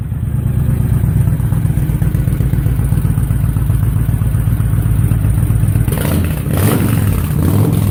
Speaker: Once again, these are the Cobra slip-ons on the VTX 1300R 2005. Haven't done the carb work yet, or the breather kit.